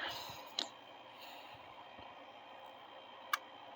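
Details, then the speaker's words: Fuel injector self-test (buzz test) in a quiet engine bay: only two faint, sharp clicks about three seconds apart, so just two injectors fire. Jiggling the harness changed nothing; the owner believes the injector harness is at fault. "2 injectors firing off. That's it. Okay, so with only 2 injectors firing, this thing is going to have a very hard time starting up, and it's going to run like absolute trash."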